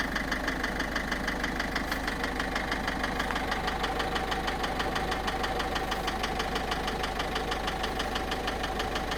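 Steady idle with a regular knock about three times a second riding over the engine; source of the knock is not yet pinned down.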